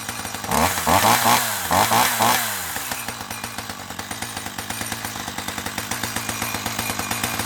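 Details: 1984 Dolmar 100 two-stroke chainsaw, warm, after repairing its snapped throttle linkage: it blips to high revs a few times, then settles into an even popping idle of about two beats per second, running healthy.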